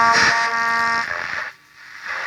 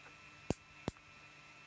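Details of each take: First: 1958 Perdio PR7 Park Lane transistor radio under repair, distressed ceramic capacitors seen: radio hiss and tone break into scratchy bursts and dropouts as the volume is moved, from a very crackly volume pot. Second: 1958 Perdio radio, close-up at the on-off switch contacts during repair of the set going dead: three crisp clean clicks as the lever snaps over; healthy switch action, normal click.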